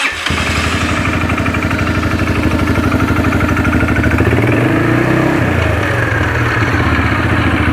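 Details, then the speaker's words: 2009 Arctic Cat DVX 300 ATV idling in neutral with the primary clutch case opened: busy rattling chatter over a steady single-cylinder idle, a loud primary clutch. Owner plans to disassemble the clutch to inspect it. "Yeah, clutch is a little loud, but you can see it sets there. Does pretty good."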